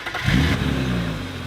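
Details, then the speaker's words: 1994 BMW with straight-six engine, 189 hp, about 249,338 miles, modified exhaust, automatic transmission: a quick blip, then an even, smooth exhaust note settling back with no knocks or misses. Normal running. "the advantage of this engine is it's extremely smooth 200 something thousand miles on it and it's still pers listen to it"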